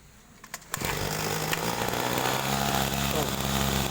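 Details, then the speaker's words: Small petrol sprayer engine with poorly set carburetor: starts after a few clicks, then holds a fast high buzz at the idle position; idle RPM too high. "ini tinggi ya teman-teman ini rpm-nya tinggi pada saat posisi langsam ini"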